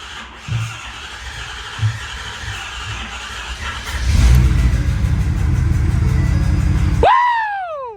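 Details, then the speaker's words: Ford F450 6.7 Power Stroke diesel just after S&S DCR conversion pump install, started with brake clean (one intake pop first): catches and settles into a steady, even low rumble at idle, no misses or knocks; normal idle. "I didn't like the first sounds, but it sounds good now. No turbo, just idle."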